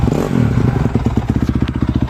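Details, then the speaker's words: 2004 Honda CRF250X that sat for months after a crash and was hard to start, wouldn't idle or rev. After cleaning the clogged carb pilot jet it runs with an even, crisp single-cylinder beat, revving cleanly and settling without stumbling. "i get a lot of bikes coming in here that just sat for a couple months and they don't know what's wrong with it and it's just a simple carb clean this bike runs great"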